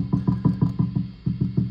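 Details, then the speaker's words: National HRO-500 receiver, HF oscillator tuning capacitor tapped with a plastic straw, heard on an RTL-SDR in narrowband FM with the VFO near 9 MHz. Sharp thumps about five a second, each ringing with a low hum. Extremely microphonic; the oscillator loses lock when bumped. "what's worse is I just take a straw and just tap this capacitor here and you can hear how bad that is so this capacitor is extremely microphonic"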